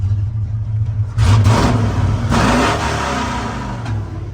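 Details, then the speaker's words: 1970 Ford pickup, originally three-on-the-tree now three-on-the-floor, 56 years old: deep steady rumble swelling cleanly with each throttle blip and settling back evenly, no knocks or misses; healthy start and rev. "She runs good."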